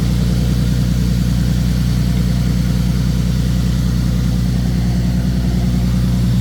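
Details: 2015 Nissan 370Z after front-end collision and frame repair, idling after its cold start: deep, even idle holding a steady beat, no misses, knocks or hunting; running good, smooth and healthy.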